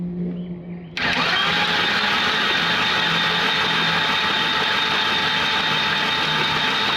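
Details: 1985 Volvo 240 (likely 84) long parked in woods, oil in cylinders: starter cranks evenly about three turns a second but never fires; no spark, Chrysler ignition unit to be fitted.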